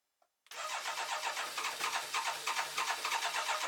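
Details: BMW K1200LT no-start after installing a new fuel pump maintenance kit: steady starter cranking about three beats a second for three seconds, never firing; fuel pressure being checked.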